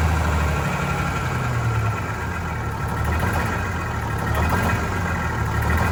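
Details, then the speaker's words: Vintage diesel bus, cold day, after injector cleaner: low idle surging and hunting unevenly, struggling to run smoothly; air still entering fuel, suspected from a line before the newly replaced hoses. "Where in the hell is that air getting into it? It's got to be a line before that."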